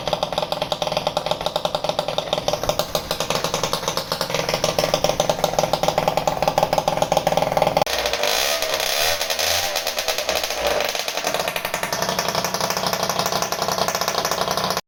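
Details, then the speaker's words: Italjet Charger 70cc two-stroke scooter with Stage6 Sport Pro MK2 replica exhaust, first run after assembly: harsh, crackling rasp stays very loud through blips and revs, as loud as it was at 50cc; excessively loud exhaust, silencer later modified. "it's me guys post I just wanted to as you can hear the scooter is very very very loud which was loud as 50 cc as well I don't know why this Pro replica it sounds like this on this engine it's it's crazy"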